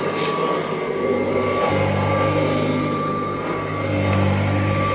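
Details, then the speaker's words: 1984 Kirby Heritage 2 upright vacuum, model 2HD-13, not run for 4–5 months or longer, no tech drive: steady even motor hum, low drone and faint high whistle, no rattles or surging; normal running. "Still sounds good. As old as this machine is, it does not have a tech drive."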